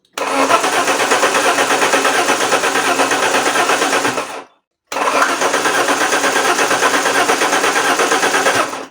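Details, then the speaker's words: Alfa Romeo 164 2.0 V6 Turbo, crank-no-start: two long cranking bursts at about three turns a second without catching; starting getting harder, with fuel suspected of flooding the combustion chambers and plugs when the starter is released. "the starting off the car as you can see it it blinks in the starting of the car is starting to be a little bit a little bit more difficult mainly when I let of the starter which means that gasoline is starting to flood the commensal chambers"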